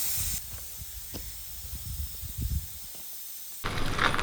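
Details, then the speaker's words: 1965 Chevy pickup built from parts: bursts of sharp hissing spray between handling noises, hot coolant steaming from the thermostat housing; coolant steam leak hiss. "it's good steam oh let's do it's just the thermostat housing right you can't tell yeah it seems to be"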